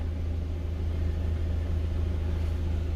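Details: 2020 GAZelle Business, UMZ-4216 Evotech 2.7, 823 km, after replacing one ticking hydraulic lifter: warm idle at about 90–95 °C, steady smooth hum with no ticking; lifter had knocked only when hot, problem solved.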